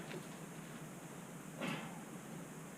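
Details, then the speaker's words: 2011-2018 Suzuki King Quad 400 front wheel after front brake pad replacement: soft quiet swishing as the wheel turns, earlier squeak gone, pads lightly brushing the disc; normal light brake pad drag, new pads still need breaking in. "make sure everything's okay now I don't hear any more squeak I do hear the pad sliding"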